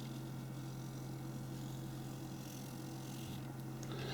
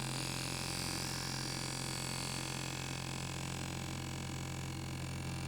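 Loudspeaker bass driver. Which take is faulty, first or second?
second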